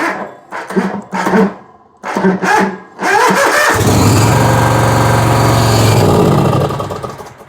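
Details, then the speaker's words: Bobcat zero-turn mower after electrical repairs to the ignition switch, starter solenoid and fuse holder: cranks, catches and runs a few seconds, then dies because the oil pressure sensor was left disconnected. "I'm a big dummy. Y'all heard it running and die. Forgot to hook the oil sensor back up."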